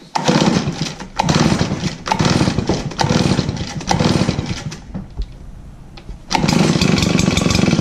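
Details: RedMax backpack blower (EBZ7500/8500) after a new throttle cable, air-tube leak fix and spark plug: small two-stroke starts after primer pumps and runs crisp through throttle bursts with one brief drop; normal, healthy running.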